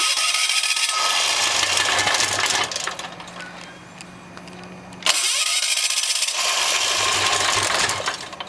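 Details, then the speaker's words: ETQ diesel engine with the injector just reinstalled and oil level OK: two cranking bursts with a few uneven firing kicks that die away; it won't start, and the owner suspects it's not getting enough heat. "so let's go ahead and start it it kicks a couple times but it just won't [Music] go pretty frustrating"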